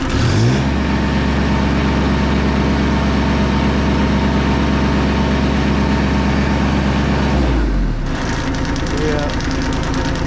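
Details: Bomag BMP8500 diesel roller after the throttle solenoid adjustment and fuel filter change: steady low idle clatter, then a clean rise in revs with no knocks or misses; engine running and revving normally.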